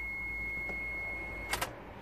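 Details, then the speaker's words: Mitsubishi Shogun (3.0 or 3.2 diesel) with ABS and brake lights on: ignition on, thin steady electric whine runs on without cut-off; hydraulic brake booster pump motor runs but isn't building pressure; fluid level not dropping. "obviously he's not building the pressure he should build the pressure to a certain point and stop but I can hear the motor running"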